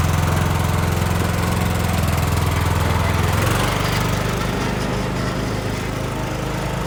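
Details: Cub Cadet LTX1040 lawn tractor, Kohler Courage single-cylinder, repaired after engine fire (coil, fan, air filter housing, valve cover gasket replaced, carb cleaned) and new blades: steady drone sagging slightly in pitch as mowing load comes on, even with no misses; normal running.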